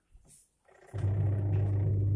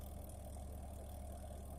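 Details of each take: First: Twin-tub washing machine wash motor after the dead or weak capacitor was replaced. A short click, then a steady, even low hum as the motor turns: normal running. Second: Twin-tub washing machine on the wash cycle, timer set to 5. The wash motor gives a steady low electrical hum but does not turn, while the spin-dryer motor works. The start capacitor is suspected. Motor hums but does not turn.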